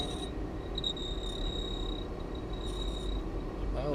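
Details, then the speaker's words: 1995 Ford Transit Mk5 camper van heater blower fan, radio off: thin high-pitched squeak over the fan rumble from dry motor bearings that risk seizing; plan is to remove the cowling and oil the bearings. "counts means the bushes are dry and it's going to seize up I mean the bearing the motor bres seize up and burn everything out"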